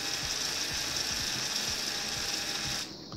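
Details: Arduino Bluetooth-controlled robot's small gear motors at about 65% speed: a steady high whine with light, even gear ticking, then a clean stop. Normal running at reduced speed.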